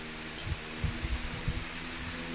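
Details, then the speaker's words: Electric fan after dismantling, cleaning and lubricating the shaft bearings with Teflon oil: steady low hum spinning evenly at speed, no scraping or rattling; fan running normally after repair. "Fijaros, lo habéis oído, ¿no? Como gira. Ha cogido aumento."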